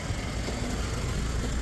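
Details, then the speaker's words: 2008 Jeep Wrangler 3.8 bored to 4.0, rebuilt about 15,000 miles ago: lumpy uneven idle with irregular stumble, cylinder 4 misfire despite new plugs, wires, coil pack, injectors; white smoke shows coolant leaking into the cylinder via failed head gasket. "that's what's causing the cylinder 4 misfire"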